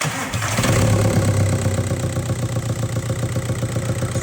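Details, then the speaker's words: 2007 VW Jetta 1.9 TDI first start after timing belt kit and water pump replacement, hoses still disconnected so louder; starts right up into steady even diesel clatter, about four beats a second, running great. Normal start and idle. "as we can see the engine started right up. It's running great."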